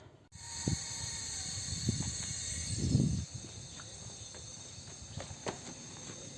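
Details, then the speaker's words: Dodge Neon with a cylinder misfire, low compression and lost power: with cylinder number one pressurised with air, a steady thin hiss escapes through the exhaust because the exhaust valves are not sealing. The remedy would need a head rework with valve and seat reconditioning. "bueno los resultados de las pruebas nos dice que las válvulas de escape son el problema Por ahí se está fugando la compresión"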